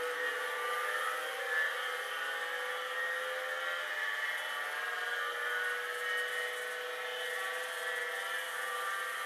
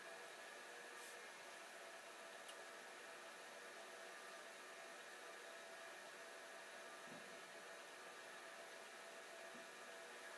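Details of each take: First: Hard drive nearly 40 years old, likely unpowered 30+ years, spinning after stiction was freed with a tap: steady high whir with thin whine tones holding even; spinning after freed stiction. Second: Old hard drive switched back on after a shorter-than-expected spin-down, owner wondering if a drop of oil is needed: steady, even whir and hiss with no scraping, knocking or speed hunting; normal spin.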